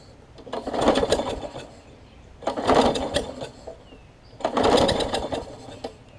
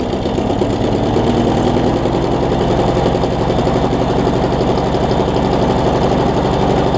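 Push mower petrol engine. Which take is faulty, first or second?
first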